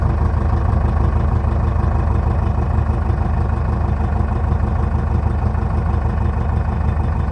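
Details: 2006 Jeep Liberty 2.8 CRD 4x4 turbocharged diesel, heard at the tailpipe, all-stock exhaust with catalytic converter and muffler: deep, even rumble, steady with no skips or rasp; healthy normal idle.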